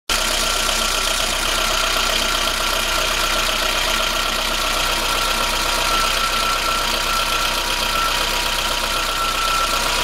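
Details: VAZ 21093 injector, cold idle: a light, uneven tapping from the top of the engine over the hum that disappears as it warms up; owner suspects the valves but is unsure, and valve adjustment is planned.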